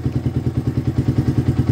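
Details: Yamaha Vixion single idling after the voltage regulator (kiprok) was replaced to fix stalling and a blinking speedometer light, charging back to about 12 V; quick, even thumping about eight to nine beats a second, normal idle.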